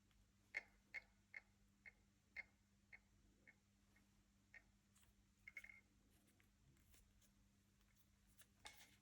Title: Leica Q2 test rattling noise